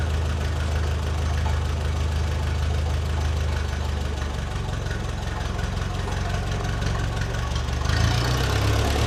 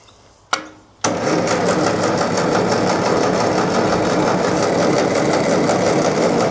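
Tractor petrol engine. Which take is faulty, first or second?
second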